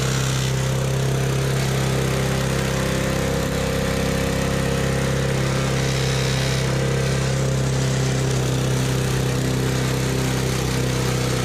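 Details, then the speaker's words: Used small single-cylinder push mower being fixed up: steady buzzing run with a faint rattle that appears only when pushing down on the handles; owner suspects something loose bouncing, source unknown. "What's that noise? I have no idea. It's like only when I push down on the handles."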